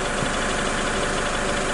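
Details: High-mileage 2006 Toyota Hilux diesel after injector nozzle tips were changed (previously high diesel and oil consumption, power loss, smoke puffs), restarted: steady even diesel clatter at idle, no misses or stumbles; healthy idle.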